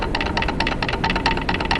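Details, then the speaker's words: 1989 Mitsubishi Starion/Chrysler Conquest 5-speed RWD manual transmission on the bench, input shaft wiggled back and forth: quick bursts of light metallic clatter, which is normal gear lash between the countershaft and mainshaft gears. "that noise is from the gear lash that happens when the gears on the counter shaft and the gears on the main shaft are interacting with each other. So that's a normal noise. That noise is in all manual transmission."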